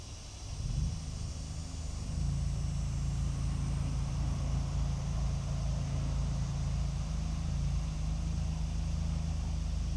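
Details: 1947 Ford 8N tractor with a worn distributor rotor shaft replaced by a used part and points refitted to check timing: steady low churning of the starter turning the engine over about four times a second, no firing; cranks but won't start.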